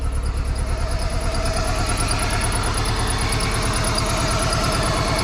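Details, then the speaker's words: 1995 Plymouth Neon, low mileage, long-stored with old gas, just started after Berryman's: shaky uneven idle with a regular stumble about three times a second and faint belt chirp; owner calls it a little missy, cause suspected old gas. "Holy cow. She's a little missy, you know? A little huff. I knew that's all she needed. Little shaky."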